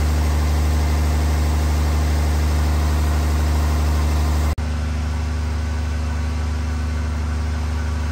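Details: Freshly installed 1500hp Cummins diesel, run without coolant before hot re-torque, good oil pressure, about 30 at hot idle: steady even idle, smooth low rumble, one brief change in note partway through. Normal idle.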